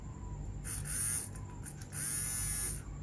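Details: RC servo motor after brush replacement: two short bursts of high, even buzzing whir with no rattle or stutter; motor spins freely and sounds healthy.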